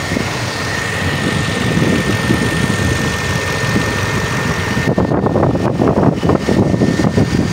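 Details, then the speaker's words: 2013 Lexus after camshaft timing sprocket replacement, restarted after running about 5 minutes in the morning: even, steady idle with faint constant high tone, no rattle or clatter; engine runs normally. "So kaya ng umaga ayos, wala siyang lagatak. No? Pag umaga wala siyang lagatak."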